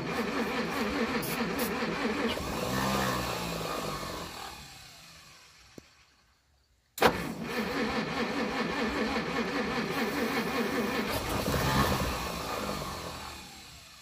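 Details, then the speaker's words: 1937 Pontiac Silver Streak barn find, long sitting, cranking after ether: starter churns about 2.5 beats a second, pauses, cranks again without firing; no-start from weak spark. "it just doesn't have good enough spark turn the key off yep sou"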